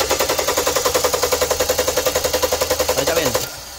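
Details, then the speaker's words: 2011 Kia Sportage 2.4 4x4 that starts then shuts off and shakes: while cranking, sharp even spark snaps about three and a half per second, never skipping, on this cylinder; spark arriving constantly, not cutting out. Low or insufficient fuel possibly suspected. "bien Se mira que no se cancela La chispa prácticamente está constante"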